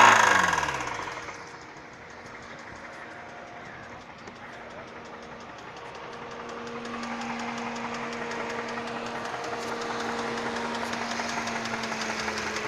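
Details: 2008 Hyundai Sonata at idle, hood open, code P0011: light quick clicking steadily over a faint hum; someone claimed the motor is blown, cause not confirmed.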